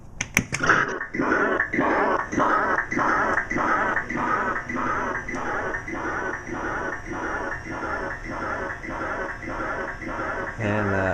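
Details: Sega Enduro arcade machine whose sound output repeats in choppy bursts about every half second instead of normal game audio; garbled game audio, owner suspects the sound board.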